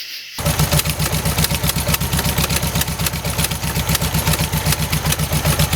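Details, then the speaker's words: 1971 early-bay VW bus flat-four after carburetor replacement, air cleaner off, timing not yet set: fires up and settles into an uneven, lumpy idle with a loping beat around four a second; running rough, timing suspected. "Alright guys, well it's running. It's just running a little rough."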